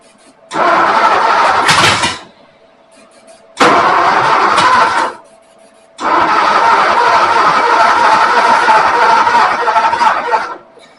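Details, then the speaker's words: Ford 272 Y-block V8 first start: three rough cranking bursts that never catch, coughing back through the intake because firing order had cylinders 8 and 6 swapped. "Okay, guys. I had eight six backwards in firing order. I was completely popping back."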